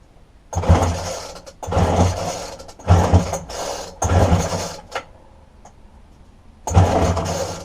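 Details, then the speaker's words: Dumped McCulloch strimmer with a broken fuel line from the tank to the carburetor, fuel poured into the spark plug hole: five short pull-cord bursts about a second apart and it never catches; no start, as it gets no fuel. "look in the fuel tank and straightaway I can see that the fuel line from the fuel tank going into we're up towards the carburetor is broken"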